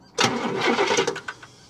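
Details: 1969 Cadillac Eldorado with 21,000 original miles, stored 15–20 years, carburetted: a brief one-second blip of the starter during a fuel-line suction check, with no firing; cranks but won't start, no fuel delivery suspected.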